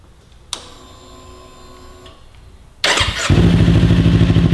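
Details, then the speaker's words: 2018–2023 Kawasaki Ninja 400 with a newly installed Akrapovic carbon slip-on, quiet insert fitted: the starter whirs and the twin catches quickly, settling to a steady, even idle with a deep, smooth exhaust note. Healthy and fairly quiet. "Okay, what do you think? Pretty nice. I definitely, like, no fan service. I like. Is it too quiet for you?"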